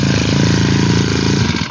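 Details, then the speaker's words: Original, unmodified Japanese T20 lawn mower engine idles with a deep, even putter and steady beat, no misses or smoke, then is switched off; seller calls it very smooth and healthy. "máy thì bao cho bác là bao xài luôn nhá không có khói khiếc gì cả"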